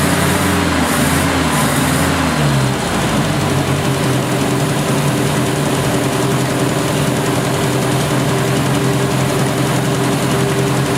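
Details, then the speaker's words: 1970 Opel GT barn find, first start in about 30 years, after a carb swap, new points and Bosch platinum plugs: idle is uneven and lumpy with occasional stumbles, still missing slightly. Choke is fully open; owner plans a compression check. "it's still missing a little bit but it has the entire choke open over here it's been sitting a little while probably needs to be"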